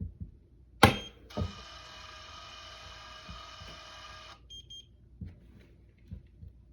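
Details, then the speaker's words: FiberFox Mini 6S core alignment fusion splicer, lid closed after the fiber is removed for heat-shrinking: one long steady beep of about three seconds, its error alert that it cannot find a fiber; expected. "I'm going to close this lid and it's going to say error looking for fiber andace we know that we have the fiber in our hand"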